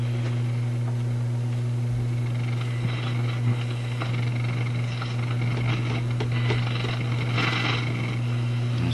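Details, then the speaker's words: Florida AM/FM/SW tube radio, believed Yugoslavian-built for North America, during initial checkout: a steady low mains hum under the radio's output that was not noticed at first and came in late, building up to an annoying level. Source not yet identified. "Oh, there's a hum there. Hmm. That hum, those, I didn't notice the hum at first. It seems to have come in late and kind of built up a bit."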